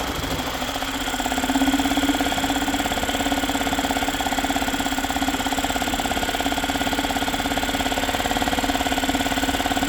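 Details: Yamaha 2.5 hp four-stroke single-cylinder outboard after aftermarket carburetor install, started first pull on choke: fast, even putter with steady tone, no misses; normal running.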